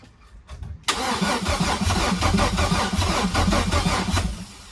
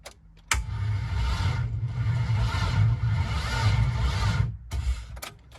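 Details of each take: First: Chevy V6 swapped into a Subaru WRX, cranking with a truck hooked up to the battery: strong, even, brisk cranking at roughly two to three beats a second, never firing; improved over the weak car battery; normal cranking. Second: Chevy V6 swapped into a Subaru WRX, cranked via starter wire: sluggish, labored cranking at about four turns a second for four seconds without catching; car's battery lacks cranking amps for this engine; slow cranking.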